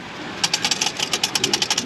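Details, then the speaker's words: Turbocharged engine after seized wastegate actuator replaced with new one that passes calibration, turbo still not boosting: light metallic clicks about seven per second from loose wastegate flap rattling freely, bypassing boost. "hear that our turbo wastegate flap is uh flapping in the wind so all the all the turbo all the boost that should be getting fed into the engine is just getting bypassed"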